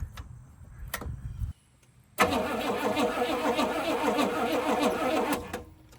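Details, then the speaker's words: 1978 Pontiac Grand Prix with a Pontiac 301 V8, long parked in a field: slow, uneven starter cranking that never catches. The battery holds a charge but is too weak to turn it fast enough. "Man, I just don't know if that battery is turning her fast enough. Let's see. Yeah, it's just battery."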